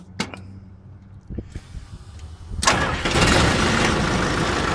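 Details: CAT/Perkins 3054C diesel on a wood chipper, unrun three years, cold start after filter and fluid change and a new battery cable replacing a corroded one: a few clicks, short crank, then an even, steady run; starts normally.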